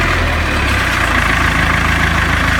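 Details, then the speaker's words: Salsco 12-inch chipper, 4-cylinder Perkins diesel, after good oil pressure at 790 rpm idle; throttle raised, lumpy idle into fuller note, pulls up cleanly with no knock; normal throttle increase. "I'm currently running at 790 RPM. I can raise the throttle."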